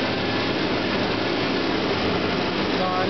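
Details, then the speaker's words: 1986 Toyota van with a replacement Napa clutch fan: a steady airy rush as the fan comes in at proper temperature, about half engaged and engaging more as temperature rises, working normally. "okay yeah that's it's engaging exactly where I want it to not completely engaged but it's about probably half engaged"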